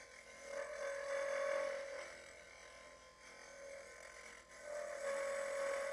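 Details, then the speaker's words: Wood lathe turning a Christmas ornament: bursts of a thin, steady squeal near a high hum come and go with each cut over quiet spinning; tool chatter from too little tool support. "the reason it makes that noise is because I don't have a lot of support it's CA a lot of chatter"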